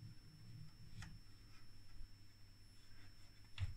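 Faint, irregular ticks about once a second over a quiet hum; a shorted regulator transistor is overloading the switch-mode supply.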